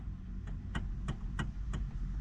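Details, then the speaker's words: Hyundai Sonata steering column: dull knocks about three per second as the wheel is turned; a worn bushing in the steering assist coupling suspected, coupling replaced. "there's a bushing inside that looks like this and when those wear out causes that noise according to what everybody says on the interweb"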